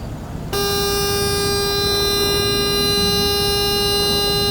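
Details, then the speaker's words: British classic car with wiring issues after work, seatbelt and oil pressure warning lights off; steady piercing buzz at one pitch when the main panel switch is turned on, seatbelt warning buzzer sounding continuously. "And we have this buzzing noise that I totally forgot about, but I actually went back to the very first video ever."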